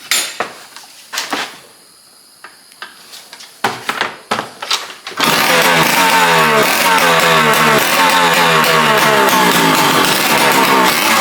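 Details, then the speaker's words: Yamaha PW80 two-stroke after new parts, brake shoe kit fitted and exhaust bolted up to cure a big exhaust leak. After a few kicks it catches and runs with a crisp, even buzz and no exhaust chuffing: normal running. "it definitely sounds a lot better with that without that big old exhaust leak"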